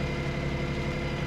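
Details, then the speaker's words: Cheap auction Smart car, first start after purchase, not running well: low, lumpy three-cylinder idle with uneven pulse and slight stumbles; driver feels it misfiring (no power steering noted). Rough idle. "No power steering. That doesn't surprise me. It does feel like it's misfiring."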